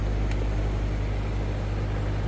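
Even low hum of the outdoor unit's compressor and fan running steadily with no cycling or rattle; running normally.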